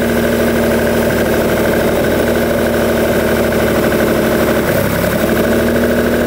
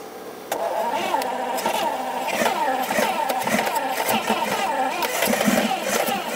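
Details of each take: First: 1971 Lamborghini Espada Series II V12 barn find, first run after flooding and leaking carb fuel lines: even steady idle with a smooth hum and no knocks or misses; normal idle. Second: 1971 Lamborghini Espada Series II V12 barn find running on a non-standard fuel pump: fast uneven cranking with ragged half-catching firing that nearly starts but stumbles; balancing against flooding, slightly flooded.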